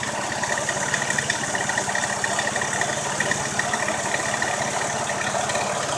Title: Ruido en el motor